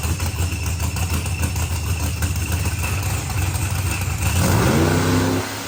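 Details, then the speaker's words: Procharged billet-block LSX Corvette on the dyno: deep, even roar climbing hard and quickly through the revs, then dropping off cleanly, no misses or pops; clean, healthy full-throttle pull. "it did sound clean that sounded super smooth yeah she was coming up quick"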